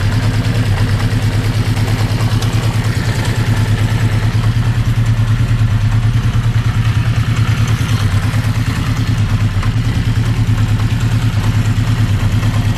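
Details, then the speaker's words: 1980 Honda CB650, warmed by 10-15 minutes idling, after oil change: even idle with steady light tick about three per second over exhaust beat, seemingly from middle of engine near cam chain; source not located. "In my opinion, it goes from somewhere here, but I cannot locate it. Looks like from the middle of the engine, which is where the cam chain is."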